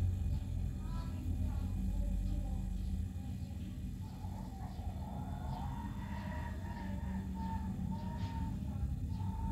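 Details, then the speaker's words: Chest freezer compressor that previously seized and would not start, now running after the overload/PTC repair with a reading of 1.2–1.3 (unit not stated). Steady, louder low hum with no on/off clicking; the compressor is running normally. "Dan kompresor pun sudah berbunyi nyaring. Kalau yang tadi bunyinya itu nggak begitu nyaring, sekarang sudah berbunyi, bertanda kompresor ini sudah jalan."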